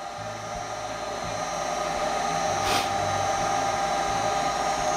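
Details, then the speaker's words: Goodman GMS90904CXA gas furnace called for heat: the inducer starts first with a steady, even whir and constant fan hum that builds smoothly, no rattles or squeals. Normal inducer operation. "But let's go ahead. Should have inducer first. Here's our inducer."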